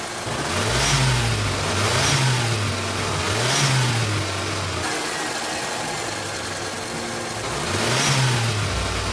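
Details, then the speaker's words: Old engine running on custom-tuned aftermarket ECU, data logged to laptop: climbs cleanly through several quick rev blips and drops back to steady idle, RPM and fueling rising together; crisp response, no misses or knocks. "Okay, and when you rev it a bit, you can see the RPM increases."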